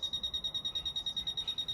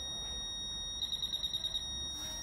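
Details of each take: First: Fisher F-Pulse Air pinpointer in an air test: short high-pitched beeps at about eight per second in a steady rhythm with the target very close; normal fast proximity alert, one of about 10 beep rates. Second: Fisher F-Pulse Air pinpointer in an air test: a high beep chattering in about eight quick pulses; it alerts over a broad surface, so at this distance it cannot tell exactly where the object is.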